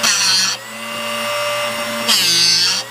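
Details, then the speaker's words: Drill Doctor 750X sharpening a solid carbide straight-fluted bit: a high whirring grind for half a second that cuts out cleanly at the set depth; correct sharpening sound. "So that's the noise that we want to hear. You'll notice that the ears on this are what sets that depth, and it should only grind till about right here, or halfway up, or right in the middle at the peak."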